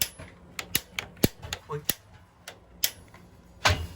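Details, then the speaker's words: New Burnham SteamMax gas-fired steam boiler at installation: sharp irregular clicks, a couple per second, with no whoosh of flame as igniter is held and pressed repeatedly; pilot not yet lighting. "Keep doing it over and over and over again until you hear the pilot ignite. You'll hear it. Trust me. 20 minutes later, he's still trying to light the pilot."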